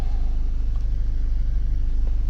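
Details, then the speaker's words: 2006 VW Passat after head gasket repair and replacing the forgotten oil filter cartridge, warm idle at 200 degrees after about 15 minutes: smooth even low rumble, no ticking or chatter; engine noise problem solved. "for about 15 minutes. No engine chatter. I think it's good. Problem solved."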